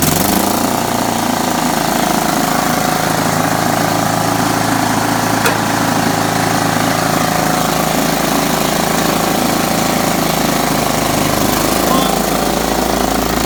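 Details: Riding mower started after freeing a stuck-shut carburetor float, with new battery, air cleaner, oil filter and fresh oil: steady, even single-cylinder drone at constant speed with no misses, knocks or surging; running normally.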